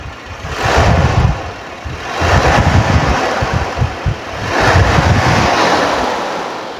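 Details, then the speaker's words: 1980 Toyota Corona ST132 2000 cc engine revved: three smooth blips returning to even idle, no metallic knocks or rattles; engine healthy, normal. "raungan khas 2000 cc Ya seperti ini Kondisinya masih oke Masih normal aman"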